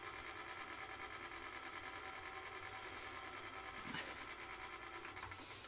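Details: Wood lathe running at turned-down speed after debris under the headstock was cleared and the headstock locked down, where it had previously been moving: a smooth, steady whirr with an even light pulse and no knocking or chatter. Normal running.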